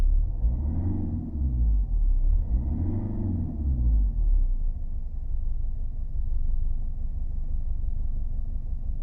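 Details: 2002 Mercedes W210 220 CDI diesel: an intermittent rough idle, low and uneven with occasional surges, mostly from cold and sometimes when warm; smooth through the rev range with no power loss or smoke; cause unknown.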